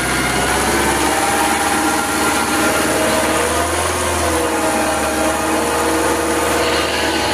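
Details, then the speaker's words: Quanchai engine that stalled from alternator overcharging (15–16 V, faulty voltage regulator), after alternator replacement and codes cleared: steady high-revs roar with constant pitch, no misses or surging; problem solved. "So no codes and problem has been solved the main issue is the alternator"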